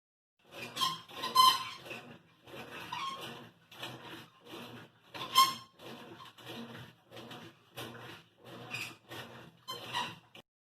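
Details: Consul 16 kg top-load washing machine: short, uneven dry rubbing squeaks, roughly one a second. The owner points to a broken motor protection guard; the cause is suspected, not confirmed.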